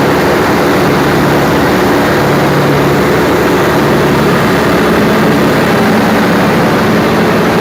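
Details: Perkins 4012 diesel engine after general overhaul, run for load testing, with a newly added pre-lubrication pump: loud, even diesel roar at steady speed with no knocks, surges or rattles; sounds healthy under load, normal running.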